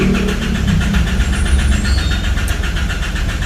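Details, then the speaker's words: 2012 Isuzu D-Max 4JJ diesel that stalls by itself, even at idle, with a new rail-end pressure sensor fitted; steady starter churn of about four even compression pulses a second with no firing, cranking but not starting. Unstable pressure pointed to the supply pump. "ไม่ติดนะอ้าวเบิกใหม่มาใส่ไม่ติดนะครับ"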